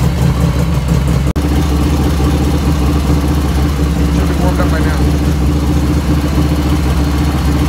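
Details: 1985 Harley FXR V-twin idling just after first start, still cold at about 49°F ambient, right after a float setting: steady, loping, even low beat with no ticking or clatter on top, lifters dead quiet; normal idle.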